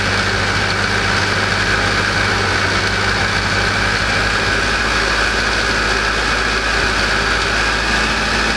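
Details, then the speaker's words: AE86 sitting over a decade, first run after stock engine swap with new fuel system: uneven idle with faint steady whine over it; owner suspects a giant vacuum leak, with worn, groaning, whining alternator bearing and dented pulley chewing the belt. "why isn't it running right oh probably a giant vacuum leak"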